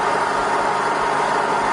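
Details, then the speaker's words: Rebuilt Bridgeport Vari-Speed milling machine spindle in low range. A steady, even whir with no knocks, ticks or grinding. The spindle runs normally. "It's all fine in low range as well."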